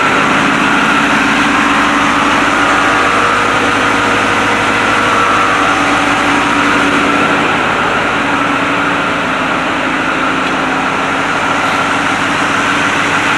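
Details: White 4-175 tractor diesel, restarted after tightening the one leaking fitting that was missed, following rear main frame repairs. Steady, even beat with no knocks, misses or squeals while the remotes are tested; normal running.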